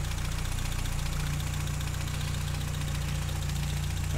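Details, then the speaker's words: 1959 Triumph TR3A at warm idle during a pre-purchase inspection: smooth, low, steady idle with an even pulse. No deep metallic knocking from the top or bottom end; the coolant shows no bubbling and there is no blow-by smoke. A healthy engine. "not hearing any abnormal engine noises like any deep metallic noises coming from the top or bottom bottom in"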